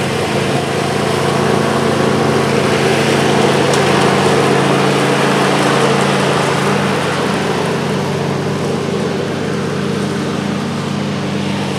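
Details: John Deere LA135 42" mower deck after a rebuild kit (new blades, belt, pulleys, spindles) fixed a horrible whining with the blades engaged: steady engine drone with a smooth spinning hum, no grinding, squeal or rattle; deck runs healthy.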